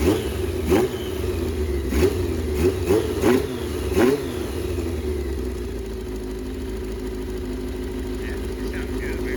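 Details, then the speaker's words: 1982 Yamaha XJ650 after months sitting, carbs cleaned, fitted with a Supertrapp exhaust, first start on a replacement battery: raspy puffing on each rev from a pretty bad exhaust leak. "It's got a super traffic exhaust on there. Little bit of an up exhaust leak in there. Pretty bad."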